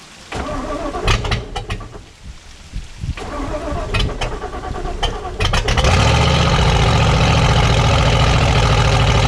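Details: 1995 Four Winns Liberator 201 boat, Chevy small block V8, revived after sitting 10 years in the woods: choppy starter bursts for a few seconds, then it catches and settles into a steady, even low rumble. It starts and idles normally.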